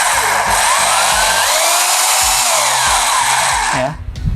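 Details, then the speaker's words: Mollar HD826 800 W SDS Plus hammer drill in drill-only mode, hammer off: steady high-pitched motor whir with no hammering pulses, smooth until released; normal drill-only running. "dia hasilnya dia tidak ada impact ataupun tidak ada Hammer ya dia hanya drill"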